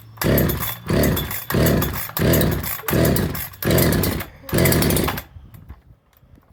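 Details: Husqvarna 365 SP chainsaw after a rebuild (new piston, cylinder, muffler, carburetor, coil, plug, wire; about 160 psi compression, good spark), pulled on choke: six short bursts that sputter and die; fires but won't run, owner suspects timing.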